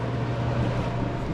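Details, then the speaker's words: Old vending soda machine, roughly 1975-80, R12 refrigeration, not cooling: condenser and evaporator fans run with steady low hum and airflow hiss, no compressor thump or drone; compressor not starting. "the fans are both running for the condenser and the evaporator. Um, it sounds like the compressor itself isn't kicking on."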